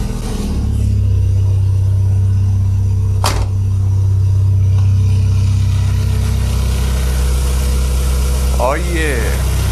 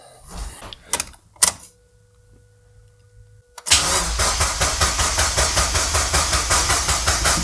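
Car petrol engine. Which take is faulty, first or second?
second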